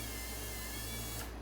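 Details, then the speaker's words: Repaired Rolls-Royce semi-automatic power antenna after clutch and gear repair: smooth steady motor hum and gear whir extending and retracting, with normal clutch clicks at end of travel. "and of course you hear the clutch click that's normal because this is a semi-automatic antenna and doesn't stop until you take your finger off the switch"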